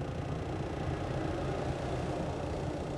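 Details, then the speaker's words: Chinese 2 kW Webasto-style diesel air heater in low-speed hold mode: steady, even whoosh with a low hum and no rattle. The blower turns slower, so there is less airflow and less heat, though outlet temperature is barely lower. "ce qui change c'est le débit d'air puisque le la turbine tourne moins vite donc ça chauffe moins"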